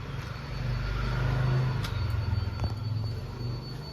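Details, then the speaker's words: Jeep Cherokee XJ with ECU no. 200, before repair, no start: thin steady high fuel pump whine runs on without cutting off over low rumble; shorted ECU, faulty box. "เสียงปั๊มติ๊กร้องทำงานตลอดได้ยินชัดนะครับกล่องECUเบอร์200นะครับแบบนี้กล่องเสียนะครับ"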